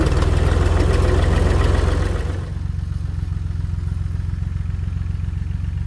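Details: Tractor running after its rotted-off muffler was replaced with a new one with a welded hanger for support; steady, even low thrum, no rasp or bark; exhaust well muffled and much quieter than straight-piped.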